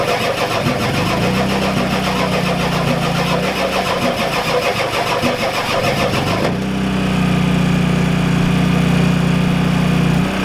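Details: Ford F-250 XLT 7.3L IDI diesel, all 8 glow plugs connected, temporary fuel hose bypassing mechanical lift pump, cold weather: starter cranks steadily about three beats a second but never fires. Fuel reaches bleeder screw, not injectors; owners suspect weak injection pump, shutoff solenoid untested.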